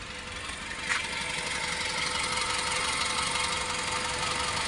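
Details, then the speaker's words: Suzuki Airio idling, car vibrating, fuel smell and pungent exhaust, no DTCs, heavy fuel use: slightly uneven, unsteady beat under hissy top end; O2 sensor, spark plugs or timing suspected, not confirmed; rough idle. "ini bergetar mobilnya berok atau bergetar ya Ee ini permasalahan permasalahannya bisa dari O2 sensor ataupun bisa dari busi ataupun bisa dari"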